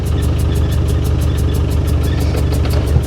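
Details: Land Rover Defender 110, about 35 years old, 200 Tdi diesel newly running, on first drive: uneven chugging, lumpy low beat about three per second with dull knocks. Rough running, cause unclear.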